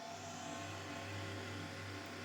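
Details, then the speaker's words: Monster Abra A5 v16.6 gaming laptop, where the owner complains of a constant growling fan that is louder at first start: one fan is fine, but the other gives a steady low hum with a rough, growling edge. Noisy fan, likely a worn bearing. "Buradaki sorunsuz. Herhangi bir sıkıntısı yok. Fakat buradaki gürültülü bir çalışmaya sahip."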